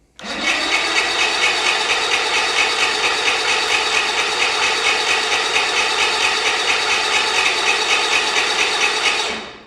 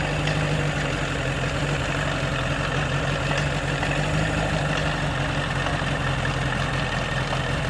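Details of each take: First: Outboard on a 40-year-old Bass Tracker that sat for years, water-filled and primed with fuel: steady rhythmic cranking, about two turns a second, for nine seconds with no firing or catch; cranks but won't start. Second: 1985 Bass Tracker outboard, sat for years, now warmed up after a cold-blooded start, settles into a steady, quiet, even idle with smooth low drone, no knocking or misses; normal idle.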